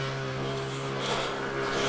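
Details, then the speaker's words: Allotment water pump: loud, steady droning hum with constant tone and some hiss; it pumps water but the filter inlet connections are sucking in air and need better seals. "So as you can hear, it's bloody noisy. So it is pumping water. The filter was sucking in air. There's a problem with the connections."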